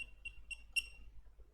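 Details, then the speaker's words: BornDent dental blue curing light, after a no-power fault thought to be a deeply discharged battery or charging IC: a few short high beeps a quarter second apart, then a longer one; buzzer sounds at normal power-on. "As you can see, it does work. And yes, this is actually a buzzer."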